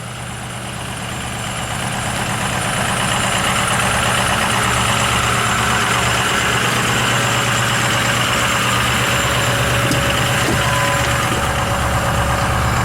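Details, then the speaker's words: 6.0 diesel truck, evening cold start after sitting a while, far from operating temperature: fast, even clatter holding a steady raised idle, no knocks or misses; healthy cold-start high idle. "Cannot beat the nice high idle of a 6.0. You really can't."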